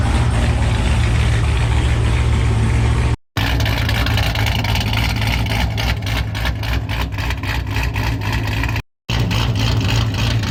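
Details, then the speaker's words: Cammed V8 after new TSP blower cam swap, first start-up: deep lumpy choppy idle with sharp rev blips returning cleanly, slightly choppier tone than before, no chop lost; running right. "I think it got a little bit more like tone to it, a little bit choppier, but it sounds very similar. I don't think I lost any chop, which is what I was worried about, but I'm pretty happy."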